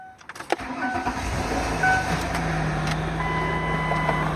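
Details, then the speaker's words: Year-2000 Ford Windstar SE, about 130,000 miles, burning coolant (suspected cracked head gasket or intake manifold): starter cranks, engine misses a couple of times and catches unevenly before settling into a rough, low idle with a faint hiss. "If you can't hear that, it missed a couple of times before it started going."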